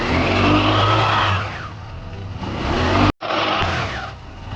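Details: Scooter after rear gear case repair (six bearings replaced, oil seal and gear oil, new belt, CVT service): engine idling and revving twice, steady low hum, former high-speed whine gone.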